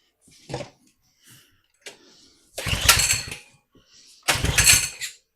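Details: 2020 Coleman 100cc minibike that tipped over and lost its oil, throttle not working: two short rough bursts of engine roar under a second each, catching only on sprayed brake cleaner; fuel line possibly rotten in one spot, suspect fuel supply.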